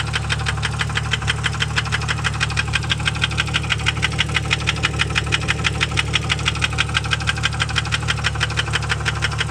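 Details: 1998 Jeep Grand Cherokee Laredo 4.0 inline-six at low idle: steady, sharp metallic knock ticking rapidly and evenly over the engine.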